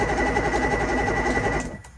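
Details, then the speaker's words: Free used boat outboard motor cranked in neutral; quick, even starter whir with steady compression pulses and no firing, and no smoke seen; turning over and sounding healthy; normal cranking. "That thing is turning over, and to me, it sounds pretty healthy."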